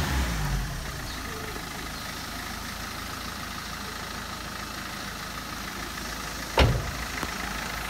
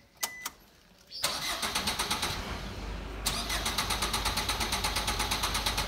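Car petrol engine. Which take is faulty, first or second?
second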